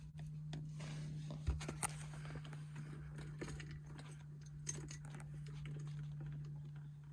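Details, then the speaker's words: 1974 Jensen Interceptor Mk 3 with ignition on: the electric fuel pump, fitted because engine-bay heat vaporizes fuel, primes the Edelbrock carburettor for instant starting. Quiet steady low buzz with faint irregular ticking that eventually stops. Normal fuel pump priming. "you'll hear the pump in the background. That eventually stops. So when you put the ignition on, the The electric fuel pump, as in a lot of modern cars, comes immediately into operation."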